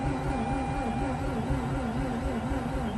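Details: Mazda RX8 with its 2-year-old fuel being replaced, cranked with clutch in: starter spins the rotary in an even wavering rhythm, about two pulses a second, but it never fires; cranks but no start.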